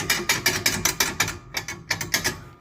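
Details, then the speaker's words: Peugeot Expert van: sharp metallic clacks about four a second at the rear, from a loose sheet-metal plate with no bolt, knocking against the back; heard after springs were worked on; brake also noted low. "chapa aqui, ó. A chapa não tem um parafuso, não tem nada. Tá batendo na traseira."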